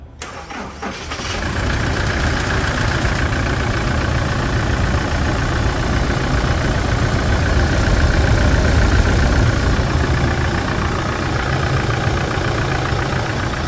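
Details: Toyota Hilux 2020 single-cab diesel after suspension and brake service with a steering box and pump replacement and fresh oil: it cranks briefly, catches within a second and settles into an even diesel clatter with a slight rev rise; healthy start and idle.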